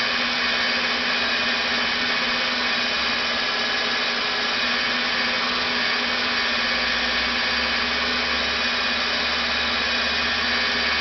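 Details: Rebuilt NetGain WarP 9 DC motor seating new National T300 brushes, idled by an EVNetics Soliton1 after about 40 hours of running. Even, steady whir with airy brush hiss and no speed wobble, around 900–1000 rpm before an unexplained rpm drop. Normal idle.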